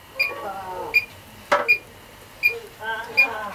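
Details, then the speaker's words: R404A condensing unit (12,000 BTU rotary compressor, first stage of dual-stage cascade) leak test: electronic leak detector gives slow, even high-pitched ticks about every 0.75 s, never going constant, so no leak at joints, valves or heat exchanger. "so I can't see any problems there no no uh leaks detected very happy about that"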